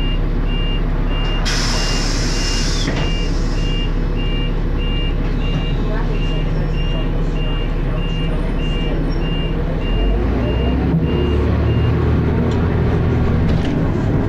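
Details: First Manchester Dennis Arrow bus 31943 (R443ULE) with slipping ZF gearbox: high steady dashboard alarm beeping about three times a second over loud diesel idle; uploader thinks it overheated, driver called depot mentioning temperature.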